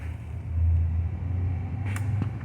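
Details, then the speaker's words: Samsung 11 cu ft refrigerator compressor that won't start, tested after changing the start kit: steady low electrical hum, motor never turns over, current around 12–12.9 A near the 12.5 A LRA until the thermal overload trips; locked compressor. "from here it started 12 12.9 the motor nothing starts let's go it's the thermal It trips"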